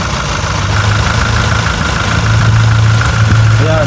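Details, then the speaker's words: Toyota Innova 2026 XE automatic at idle, A/C switched on: compressor engages, adding a low drone and faint hum while the idle stays even and unchanged; normal compressor noise. "Yan, may ingay na siya. Yan sa compressor. Papansinin din natin yan, yung ingay na yan."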